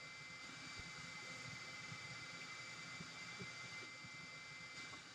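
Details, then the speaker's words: Parrot ANAFI drone after a week underwater, new motorboard and new battery fitted, at power-on: steady high-pitched motor whine with an even hiss and no catches or rattles; the motors spin up cleanly in a normal startup check. "So I don't know if you could heard, probably you did. So the motors did its initial check at startup, and obviously the LED is working."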